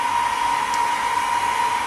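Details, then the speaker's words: DIY solar-powered cooling fan bar (three 2-inch fans, LM78H12K 12 V regulator, aluminum tube) running on top of a solar inverter. Smooth, even, steady single-pitch whir with no rattle: working as intended. "yeah it's doing what it should ok well I'll run it for a while and make sure it's going to last"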